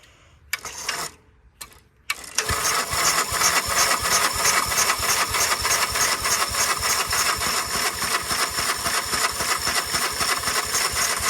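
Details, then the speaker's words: 1946 Gravely Model L single-cylinder, unrun about five years, hard starting; in neutral at mid throttle on a starter cart with ether, owner suspects a faulty carb float; after short cranking bursts it catches and pops in quick fairly even beats. "I'm going to give it a shot at ether I have a feeling that the carb float is messed up"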